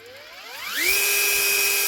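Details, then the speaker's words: Metabo SSD 18 LTX 200 BL 18V impact driver after gearbox reassembly with fresh grease on the dry parts: the motor spins up smoothly to a steady high whine and winds down cleanly with no grinding. It now turns freely, normal running. "Ah, don't tell me now. Now she's turning. That's pretty free."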